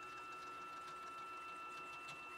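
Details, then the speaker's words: Used, home-built K2CNC machine with 10 TPI ball screws, Y axis jogging: dry gritty grinding rattle with faint tones; ball screw bearings suspected as the cause. "i'll go back the other way you hear that grinding rattling or whatever something is wrong in the bearings it was really bad that time"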